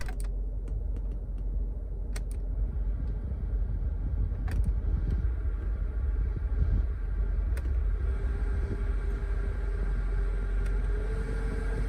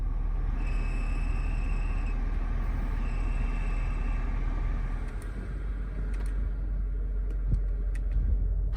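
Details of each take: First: 2008 BMW X5 E70 4.8i after replacing the noisy blower motor with an aftermarket unit: soft, even rush of air, no whine, rattle or chirp at any fan setting; normal blower operation. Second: 2008 BMW X5 E70 4.8i blower before replacement: the fan rushes steadily while a thin, high chirping squeak comes and goes, worst on low settings, from the worn blower motor; the noise is gone at all speeds after replacement.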